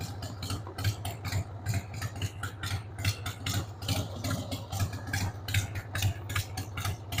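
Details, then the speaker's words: 1993 Harley-Davidson Sportster 883 Evo V-twin, stored about 15 years, just started on starting fluid with a dead battery: a loping, uneven idle thumping about once a second with irregular beats. The carb needs cleaning. "93 Sportster. Needs the carb cleaned, but man, the drive belt's in good shape."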